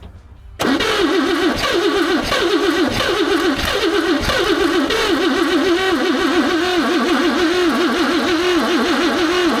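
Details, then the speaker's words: 1954 Chevrolet revived after two decades sitting, slight exhaust leak; cranks, catches, then uneven wobbling stumbling idle because number one spark plug left out; misfire from missing spark plug. "you know what would be a really good idea to actually put the uh spark plug back in the hole I left number one out like a dude"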